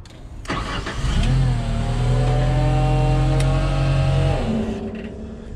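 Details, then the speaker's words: Genie S60 boom lift after crank-no-start repair, first start-up: cranks, catches and runs about three seconds with an unsteady, lumpy beat, then shuts off; rough running, cause not confirmed. "sound very good at all but the complaint was a crank no start like i said i probably got stuff wrapped up in here"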